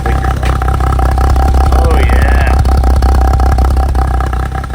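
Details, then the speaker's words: 1962 Ford Falcon first start of a replacement engine after the old one developed a rod knock, with fresh oil and filter, in a very cold 4° shop. Even idle with a loud muffler, slight valvetrain tick, no knock; normal idle. "You're running nice and quiet. Little bit of valve train kick, but we can tighten that up. No more knocky sounds."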